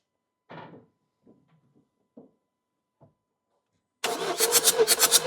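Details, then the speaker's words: Ford Transit Custom diesel compression test, cylinder 1 with injectors disconnected: strong, even compression pulses at a steady cranking beat, reading about 28, better than expected. Healthy cylinder. "Okay. Very good. I'm a bit surprised because I was expected we going to have just above 20, but we had about 28. So, we know this cylinder is very good."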